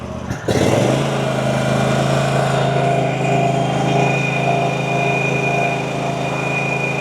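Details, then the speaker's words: RedMax CZT54X zero-turn mower after repair, previously cutting out under throttle: engine catches at once and holds a steady, even full-throttle drone with no surging or cutting out. Sounds healthy. "So, so far so good. Does seem to be running a little healthier."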